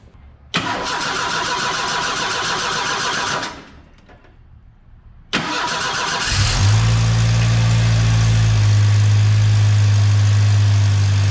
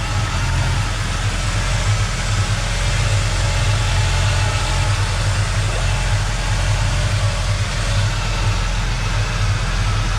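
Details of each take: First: 1986 Ford Mustang SVO after swapping a tubular header for the OEM exhaust manifold and adding coolant: engine cranks twice, fires and idles with low uneven puffing from an exhaust leak at the back of the turbo, where a bracket bolt is missing. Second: 1986 Mustang SVO after replacing the tubular header with a factory exhaust manifold and refitting a leaking bolt; deep, even idle with a steady low rumble, no exhaust leak ticking or puffing; slight residual smoke burning off.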